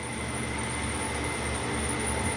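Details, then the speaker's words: Jet metal-cutting band saw after the drive belt was re-tensioned by pulling the motor back: a steady, even motor and blade hum with a faint high whine and no slapping, quieter than its earlier raw sound; normal running. "oh much better look at that and it's quieter i don't have any footage of what it sounded like but it sounded real raw"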